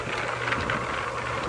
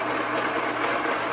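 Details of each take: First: Homemade rock tumbler after its bearings were rebuilt: steady low hum with soft, uneven rock clatter, bearings running quietly; sound level dropped from about 90 to 75-76 dB. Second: Homemade rock tumbler that has run non-stop for many months: a steady, harsh rushing noise with a faint hum, growing louder over time. The owner thinks the worn bearings make most of the noise; greasing them did not help and the drive belt is breaking. A rebuild comes next.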